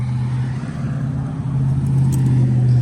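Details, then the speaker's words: ComfortPro truck APU diesel running after service with DEF filter change, oil and filter checked, no leaks: steady even low drone, no knocks or rattles; normal idle. "we just fired it up let it run everything's good"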